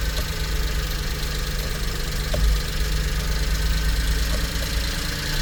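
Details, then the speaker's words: 1999 Mitsubishi MiniCab 4x4 (U62T) with a 5-speed manual and 13,050 miles, cold idle with no smoke: a faint, quick light ticking over a steady idle from one valve. It disappears when warm; the owner plans a valve adjustment. "Maybe valve. I can hear one valve. When it gets warm, it disappears. So the valve needs to be adjusted."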